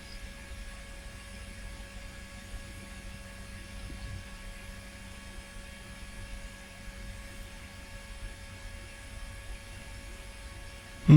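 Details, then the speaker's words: Old flea-market retro PC, hard drive jumpered as master: faint steady platter whine with no head-seek clicks; the drive spins but apparently is not detected (it was later found after the drive was turned sideways). "don't think it's detecting the hard drive it is spinning I can hear it spinning but I can't hear the head seeking at all"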